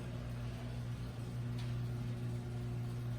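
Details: Volkswagen diesel started right after the injection pump quantity adjuster seals were replaced, without bleeding the injectors. It settles into a steady, even idle with a low, constant clatter and no misfire or hunting, so it runs normally.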